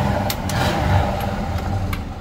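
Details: 2000 Chevrolet Tahoe Z71, 22 years old, after oil, coolant and brake fluid service: low, even V8 rumble with a brief lift in speed, no knocks, misses or rattles, no smoke, just steam; healthy.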